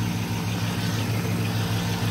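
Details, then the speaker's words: V8 street sweeper that runs again: deep, even idle with a smooth steady rumble and no tick standing out; sounds healthy. "Sweet. Yeah, sounds good."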